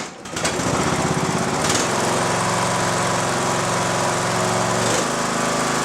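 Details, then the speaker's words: Mower with a recovered lead-acid battery, still with one bad cell, that previously would not crank at all: brisk, even cranking that catches quickly into a steady single-cylinder run; normal cranking and start. "A battery that would not crank this mower under any circumstances. You could charge it all day long and it would not crank the mower over at all. Now it cranks it, even with the one bad cell."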